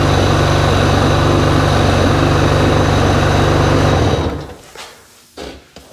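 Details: Sea-Doo XPDI after repair of a start-stall and uneven acceleration problem: steady, even engine note with quick regular beat, no stumbles or surging, then shutdown; normal running.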